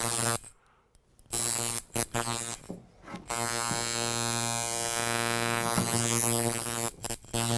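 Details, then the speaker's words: Coil tattoo machine on 6 volts after trimming the spring on the armature bar to turn a fast soft shader into a color packer: strong even buzz, still about 114, starting and stopping cleanly, with more force; runs normally. "still at 114, but we have a little bit more force. It actually feels like it'll push a needle."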